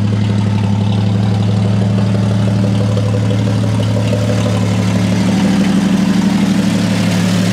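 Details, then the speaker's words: 1954 Chevy 3100 pickup, original 235 cu in (3.7) full-oil-pressure straight-six with replaced radiator hoses; steady, even low idle with smooth regular beat, no misses, knocks or smoke. Normal idle. "as you can hear Steve just runs absolutely beautifully it doesn't smoke"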